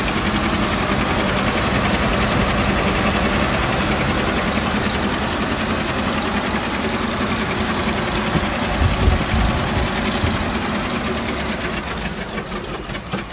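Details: 2003 Land Rover Discovery 2 idling with a dull, fairly regular knock three or four times a second; source unknown.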